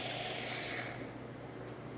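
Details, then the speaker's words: Jura Impressa F9 espresso machine, heated up, after a new encoder was fitted for error 8. Strong, steady hiss of steam tapering off after a second, with no sputter or spitting: normal steam wand output. "and then it will produce steam as you see right now good steam coming out of the one excellent steam looking great working it"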